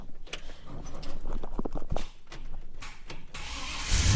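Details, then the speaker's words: Holden HK Premier wagon at start-up: scattered sharp clicks without steady crank rhythm, then a brief rough burst of cranking; intermittent clicking and not always starting first time, owner unsure whether starter motor or micro switch is at fault. "I've got a bit of a clicking going on there. It doesn't always start the first time, so I'm unsure if that's so I'm unsure if that's a starter motor problem or whether it's a micro switch problem."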